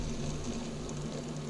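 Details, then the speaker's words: 2008 Ski-Doo MXZ 600RS engine during teardown: dry, gritty rumble as the crankshaft is turned by hand from a main bearing that took extra load because another bearing was trashed, with failed crankcase seals and possibly poor lubrication. "You hear the bearing noise? Because of course, with that bearing being trashed, this one was taking a lot of extra load."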